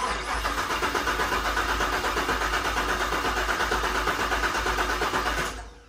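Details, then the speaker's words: 2019 Camaro SS with Whipple 2.9L supercharger, LT4 injectors and pumps, flex fuel kit: starter churns steadily about five seconds but never catches; owner suspects low fuel, fuel pump not heard running; crank no-start. "this is low fuel dude i don't have enough fuel to get it going dang it let me try one more time thing is i don't hear the fuel pump going"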